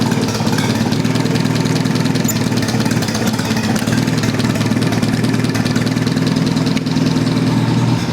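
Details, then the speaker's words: Old Rusty engine with ignition timing set to about 6 degrees advance, idling at 500 rpm, fan belt due for replacement: a slow, steady idle with even firing and no stumble or knock. "And I think I have about 6 degrees advance now. That's what I wanted to get. It's 500 RPMs, as you can see."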